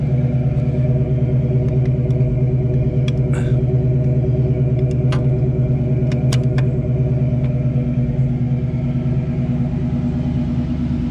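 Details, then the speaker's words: 1968 Ford Mustang small-block V8 running with new Flowmaster-style mufflers and GT tips: deep, even rumble pulsing steadily with no misses, knocks or ticks; healthy, with excellent oil pressure. "the exhaust is new there are Flowmasters type style whatever mufflers"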